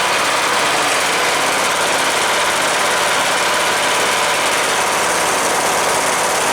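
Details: Cub Cadet LTX 1045 Kohler Courage single-cylinder engine after fixing a screwed-up counterbalance that knocked after oil starvation, oil changed: steady even run, no knock at the cylinder beat; normal running.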